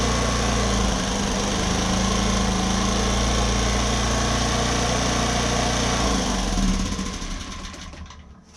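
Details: Homelite HG600 generator with Yamaha engine, after fuel pump cleaning and new gasket set: steady, even idle hum for several seconds, then a clean wind-down at shutdown; runs smoothly.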